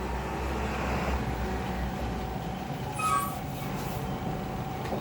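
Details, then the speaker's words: Table fan after replacing the shaft and bush, which previously locked up when powered and only turned by hand unpowered: a steady, even motor hum and rush of air with no knocking, rubbing or stalling. Repaired fan running normally. "मग आपण आता नवीन shot बदलला, नवीन Bush टाकली आहे आणि तो एकदम व्यवस्थित चालू झालेला आहे."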